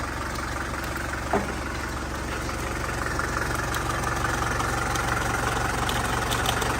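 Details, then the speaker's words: 1981 Mercedes diesel, running after sitting about 15 years: a steady idle with a faint, uneven light tick about three times a second. A pair of channel locks chewed by the belt was striking the fan. "right here you see where the belt was chewing it up right here and then it's hitting the fan too"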